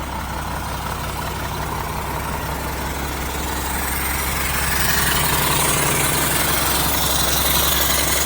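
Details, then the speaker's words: 1975 Mack FR700 8x4 diesel, first start in years after bleeding air: even idle with steady rhythmic chuff about three a second; air compressor puffing through an open discharge port. "The noise you can probably hear is the um air compressor. It's just got an open discharge port at the moment. So, it's just chof chuff. Um that's a bit of a racket you might hear."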